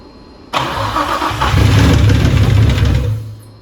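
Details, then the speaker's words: Nissan 300ZX with VQ35DE engine, first start after fuel leak fix and coil packs installed: catches after a brief crank, runs rough with light rapid tapping; top-end knock from oil starvation, gone on later starts. "starts fired right up it was that quick holy I heard a lot of knocking noises though so the scking noise we heard was just it needed more oil on the top end"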